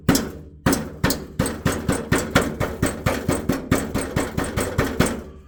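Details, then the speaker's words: Jaguar XK (X150), underneath where the front exhaust pipes split: sharp taps on the heat shield end in tinny clinking rattles. Stones seem trapped under the shield, causing a rattle felt through the floor when driving; fixings appear fine. "I think when I'm driving along is there it's obviously getting down there and whatever's stuck underneath there stones or whatever is actually making a hell of a Rattle and it's coming through the floor"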